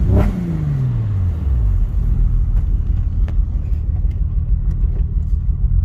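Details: Porsche Boxster S 986: revs drop back to a lumpy, uneven idle with irregular stumbles and chuffs breaking the exhaust beat. Bad engine misfire.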